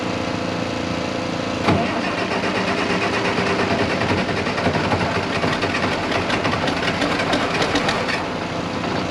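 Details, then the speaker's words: International 1086 tractor diesel after injection pump work, primed with lift pump, weak batteries, chilly day: long cranking with rough catches that never run; fails to start, seems to lose prime, owner unsure whether pump internal fault or air in fuel. "it's almost like it's losing prime it starts there turning over and almost fires up and then kind of lose the smoke so i don't know if that's internal on the pump or if i still just got too much air in it"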